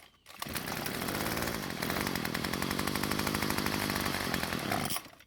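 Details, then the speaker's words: String trimmer's small two-stroke, on its first test run with fuel after its ignition system was confirmed working, fires and buzzes evenly for about five seconds, then dies; it stalled because the choke lever was moved to run too soon. "it started and it would have stayed running if i wouldn't have moved the lever to the run position so soon"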